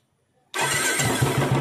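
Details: Royal Enfield Classic 350 Bullet after tappet-noise work: the engine fires at once into a steady, evenly spaced thump with no top-end tick; normal idle.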